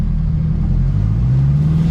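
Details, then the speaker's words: Honda Civic EK with a swapped engine, after adding the missing transmission fluid. Smooth low drive rumble rising with speed, with no whine, grind or clunk; the earlier gearbox noise is gone. "Who would have thought to put transmission fluid inside the car after you done all that work? Nobody thought of it. Neutral. The sound is gone, guys."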